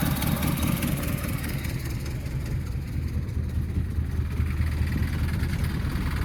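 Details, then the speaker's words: 1976 Ford Mustang II, manual 4-speed, engine warmed up after cold start: low steady idle with an uneven rattle about twice a second from something loose; alternator bearing also noted as worn. "And that rattling is this fucking shit in here."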